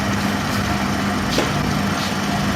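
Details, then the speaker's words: Motor after repair (pulley had loosened and bent from an over-tight belt; bearing replaced, pulley re-tightened): smooth, even hum at one steady pitch, no knocking or squealing; running quietly and normally. "तो दोस्तों यहां पर आप देख सकते हैं इसकी आवाज बिल्कुल खत्म हो चुकी है और मोटर बिल्कुल पानी की तरह चल रही है और किसी तरह का इसमें कोई शोर नहीं है"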